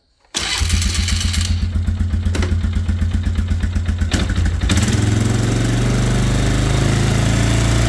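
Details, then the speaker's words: Scrambler motorcycle reassembled after ride repairs, new brake pads, sat since ride with carb possibly gunky: catches right away, chugs evenly then settles into smooth steady idle, no knocks; normal start and idle. "All right, so as you can see, it's all back together. Sounds good."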